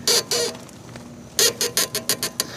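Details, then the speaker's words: Tao Tao Coleman 125 ATV with the front end raised and the front tires off: short, sharp, high squeaks in bursts as the front end is worked, coming from a dry tie rod. Applying Super Slick Stuff lubricant made it a little better. "So, that's just my tie rod. Maybe I could put a little bit of that slick stuff on it."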